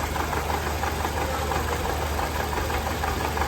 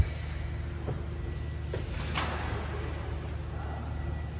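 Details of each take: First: 2014 Toyota Camry 2AR 2.5L engine idling roughly with a stumbling low pulse about three a second, misfiring and visibly vibrating, worse when revved and lacking power on the road. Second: 2014 Toyota Camry with 2AR 2.5L engine, after repairing misfire, shaking and power loss: a slightly long crank, since fuel had drained and there was no pressure. The engine then catches and settles into an even low idle with no vibration or stumble.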